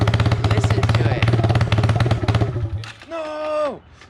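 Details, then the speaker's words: Yamaha TTR 225 dirt bike during a rebuild, only starts on choke, carb said to be clean: uneven, lumpy single-cylinder thumping that stumbles and fades out after a few seconds; it won't hold idle and stalls. "you can't even get it to like stay running first i hate like choking it but that's the only way it starts"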